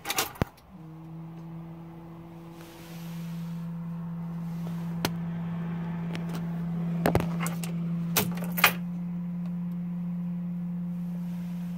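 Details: 2004 Sprinter engine bay: faint, low, steady hum at a constant pitch with a few clicks, from a bad fuel pressure relief valve (silver bolt-like part, Dodge 5166878AA) on the bottom of the high-pressure pump.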